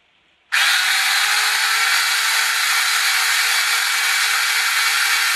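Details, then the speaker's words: Monster High toy RC conversion with new 3D-printed PLA gears on 2S: steady high whine rising as the motor spins up, with a gritty hiss. Owner unsure whether the PLA gears cause the noise. Noisy gear whine. "now before I finish this is incredibly noisy I don't know if it's because my new PLA gears and noisy"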